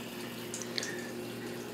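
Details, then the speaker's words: KitchenAid dishwasher after its corroded start switch was cleaned with DeoxIT, with cardboard simulating a closed door; a steady soft hiss and trickle of water fills the tub with no hum or buzz. Normal water fill. "all right so I have a little piece of cardboard in there to simulate the door being closed and hear the water go on"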